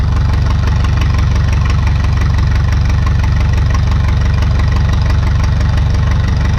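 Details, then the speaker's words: 1952 McCormick Super WD-6 tractor, started on gasoline before running on diesel, ignition via touching two wires; slow, steady, even idle thump about three beats a second with no misses or stumbles, running clean after oil and hydraulic fluid change: normal idle. "it's a pretty cool tractor it seems to be I mean pretty fair price for it considering it seems to run pretty good"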